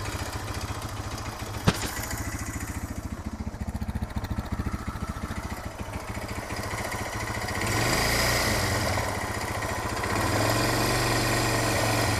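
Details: Suzuki DR650 single with a long-standing engine noise: a sharp, regular clack on every beat at idle in neutral and when accelerating, fading on deceleration and returning at low rpm. Valve clearance and cam chain tensioner already checked; source unknown.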